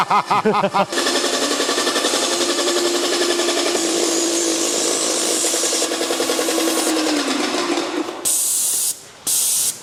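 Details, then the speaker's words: Airless Max Blast paint sprayer priming with unthinned paint: uneven heavy pump strokes about ninety-five a minute with hissing spray, strained as if near stalling; thinning made it sound healthier. "The paint has got into the machine, and now we're just waiting for it to come to the gun. Sounds like it's going to stall in a minute, Rich."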